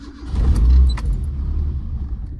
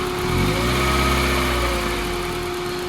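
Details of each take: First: Escort RS2000 turbo, built 2.0 N7A 16v with 1050cc injectors and Garrett T34, about 230 miles, new ECU map loaded, started out of gear with no throttle: catches, briefly dips and cuts out, then rough idle; stumble from over-rich map. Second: Escort RS2000 turbo, fully built 2.0 N7A 16v with Garrett T34, pulled over after driving: clean idle with light revs rising and settling smoothly, faint steady whine, no knocking; normal idle.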